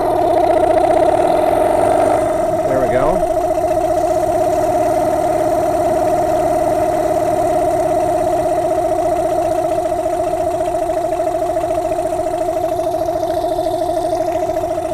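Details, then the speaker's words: Yamaha two-stroke dinghy outboard, warm about 80°F, no choke, after carb cleaning (had been shaking at low-mid rpm, owner suspects too much oil gumming it): steady even burble at idle before idle-screw adjustment. "right so we're idling it seems to be idling okay so now we're going to adjust this little guy"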